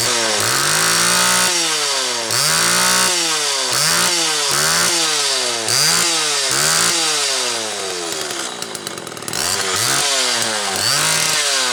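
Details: Homelite XL Automatic chainsaw after repair (new bar stud; a fuel fault had made it run only on full choke), half warm on a cold morning, started in about 6 pulls: snaps cleanly from idle to a high scream and back, repeatably, high speed tuned close enough. Runs normally.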